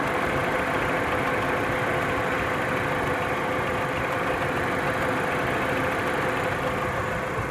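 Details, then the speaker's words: 2002 Audi A6 C5 with 1.8T AWT petrol engine, 226,000 km, warm at idle: light, uneven crackling tick over a steady hum from the top end, loudest at idle; owner suspects chain tensioner or valve lifters, unconfirmed. "ук в моторе то есть шум такой потрескивание сейчас их вам продемонстрирую вводим больше всего слышен этот звук на именно на холостых оборотах"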